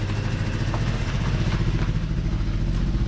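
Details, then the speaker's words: Car driven out with an engine miss: lumpy, uneven idle with a stumbling low pulse and loose clatter; it is missing pretty badly, cause not yet found, and no water in the oil. "at least you don't have water in no oil yeah it's missing missing pretty bad"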